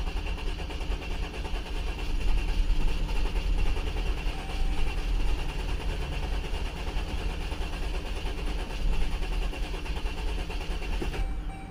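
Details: 2011 Jeep Grand Cherokee 3.6 with used replacement engine and harness: steady low starter churn, engine turns over but never catches; crank no start, scan shows injector 2 open and ignition coil 1, 4, 5 insufficient ionization; no fuel pressure seen, bad injectors suspected.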